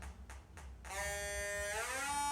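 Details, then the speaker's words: Combustible gas leak detector warmed up and calibrated; three slow ticks then a sharp tone climbing steeply in pitch as it alarms on detected gas. "Let it calibrate, and then when it warms up, like right now, there's a dial on the side, and what I like is, here's what it sounds like when I find gas."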